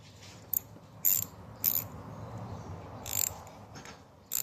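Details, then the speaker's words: SK 1/4-inch ratchet after rebuild (taken apart, cleaned, lubricated, pawl and circlip refitted): crisp, even bursts of fine clicks, five strokes in under five seconds, with no grinding or slipping. Normal ratchet clicking. "SK brand 1/4 inch ratchet. Restored and cleaned, lubricated, and working great."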